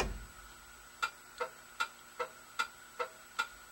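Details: 1960 Plymouth Fury during a signal light and horn sorting: crisp, even turn-signal flasher ticks about two and a half per second in a quiet space; the flasher is clicking at a normal rate.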